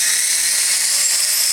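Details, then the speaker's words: Furion 6 helicopter, iKON flybarless governor, Hobbywing RPM sensor, Castle HV ICE II 120 ESC, stunt mode 2: high steady whir at one pitch, no surging up and down; earlier headspeed hunting absent, owner suspects computer connection caused it. "i'm pulled up in stunt mode two right now and it's not doing it hopefully all is okay"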